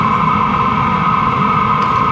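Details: LF BROS N2 Pro 2024 diesel heater exhaust without a muffler, before comparing a roughly $20 Amazon aftermarket muffler: a loud constant roar with a steady high whistle over a rapid chuffing pulse.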